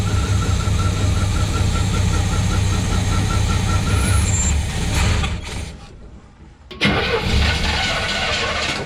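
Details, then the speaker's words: Old Chevy Suburban sat five years, new battery and fresh gas: starter churns steadily about four turns a second, stops, cranks again without firing; no gas reaching carburetor, either pump not working or not picking up fuel yet. "Yeah, we're not getting gas in the carb yet. So either pump's not working or we're just not picking it up yet."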